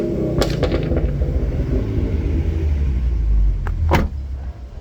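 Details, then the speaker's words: 2011 Mustang V6, 6-speed manual, 107,000 miles, with Roush Boss 302 axle-back mufflers fitted: deep, steady, smooth exhaust rumble that is not too loud, with no drone or blowing. "And actually the muffler sounds pretty decent. It's not as loud. I was worried that it was going to be too loud, but it's actually decent enough."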